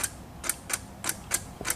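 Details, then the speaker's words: ZTR lawnmower with a dead battery, key turned before connecting a jump starter: sharp irregular starter clicks about three a second with no cranking. "trying to crank. I can hear it clicking a little bit."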